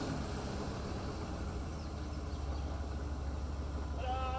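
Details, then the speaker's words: Revived junkyard Chevy that took a while to start on a booster pack: low uneven rumble with irregular clatter at idle, running poorly; timing, PCM and filter issues suspected, unconfirmed. "another chevy running not very well it took a second to get going but uh it is running not very well"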